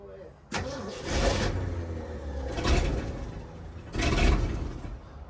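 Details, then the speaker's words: 1967 Ford F100 started after sitting 20 years, after accelerator pump and fuel pump repair: choppy loping idle with throttle blips from a big cam, running pretty good though the carburetor has a bad fuel leak. "Got a mean cam. All right. Seems like it's running pretty good."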